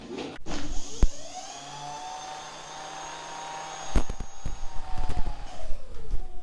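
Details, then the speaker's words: Electric scooter after a hard crash, about 70% charge, throttle test in first gear: clean motor whine climbs in pitch, holds, winds down with a few clunks; scooter judged working fine. "Damn, man, that's fast. This is third gear. So the scooter seems to be working fine."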